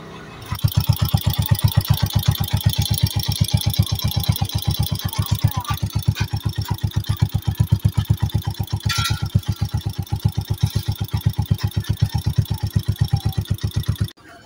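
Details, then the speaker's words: Honda TMX 125 single-cylinder motorcycle at idle before a tune-up: quick even ticking over the idle thump from excessive intake and exhaust valve clearance; to be adjusted to 0.08 intake and 0.10 exhaust. "so sa intake naman na GB sabiin yan guma yan aye na tayun up Gag natino ex malaki tik na kasi malaki ng clearance ng ating mga bubes"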